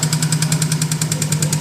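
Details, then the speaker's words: Subaru WRX 2.0 L with a fully forged engine, tapping since a car wash: light, fast tapping around ten per second over a steady idle, heard from the middle of the engine; others suggested piston slap, cause unconfirmed. "start it you hear that tapping sound should it be there the sound is coming from about about here middle of the engine"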